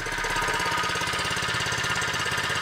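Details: Harbor Freight small single-cylinder engine, freshly set up with oil: quick, steady putter with even beats and no knocks or misses; running healthy.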